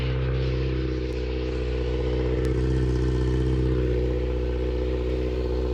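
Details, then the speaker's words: Kawasaki ZX6R inline-four being rebuilt, idling after a cooling-system leak check: steady, smooth idle, no stumbles or knocks. Still smoking; owner unsure if from sitting too long or the radiator. Oil level good, no leaks found. "seems to be running good except it's still smoking so I don't know if it's from sitting too long or if it's from the radiator"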